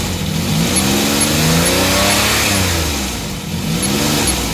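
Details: Suzuki mini van DA64/DA63 with K6A engine, vibration issue with codes P0113, P0327, P0135, P0122, P0118: revs surge up and sag unevenly instead of holding steady; the throttle position sensor voltage keeps dropping out instead of holding steady.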